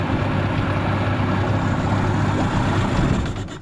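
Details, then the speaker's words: Small tinny outboard after fixing minor problems, without stripping the carburettor: even putter at steady idle fading out, no stumbling or surging; runs smoothly, best it has ever run. "I reckon that's the best it's ever run. It sounds really smooth and"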